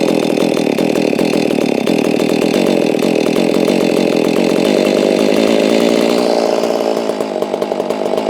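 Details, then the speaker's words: Holztfforma G660 chainsaw, warm, during low-speed screw adjustment, and four-stroking slightly at the top as intended; it runs fast and raspy with an unsteady flutter that eases near the end: low-speed mixture still too lean. "Yeah, see, it still needs a little bit more low end."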